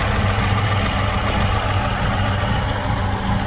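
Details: Chevrolet Aveo T250 petrol engine with added LPG, misfiring at idle on petrol only (fine on gas, no fault codes); one cylinder dead, injector coil intact with supply voltage but no control pulses from the ECU.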